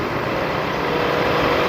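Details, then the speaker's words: Toyota 1UZ VVTi V8 with electronic throttle, after repair of stumbling and shaking and ECU reset by battery disconnect, idling about 5 minutes with AC on: smooth, steady rumble, no stalling or stumble; normal idle. "ตอนนี้เราสตาร์ทวันทิ้งไว้ประมาณสัก5นาทีแล้วนะเครื่องยนต์ไม่มีดับลงไปเองนะครับนิ่งมากเลยครับผม"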